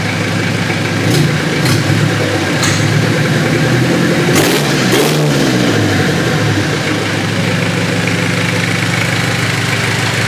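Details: Mitsubishi Triton 4M40 diesel after an overhaul: even idle, then quick throttle blips that rise and fall cleanly before returning to a steady idle. Sounds sound.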